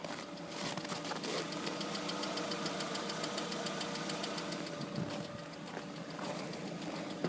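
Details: Lada Priora, warm idle: a sharp metallic tapping repeating quickly. It appeared after a −40° start and knocks only hot, not cold. New INA lifters and camshafts didn't help; alternator, pump and bearings were ruled out. It runs smooth with good oil pressure; owner suspects a piston.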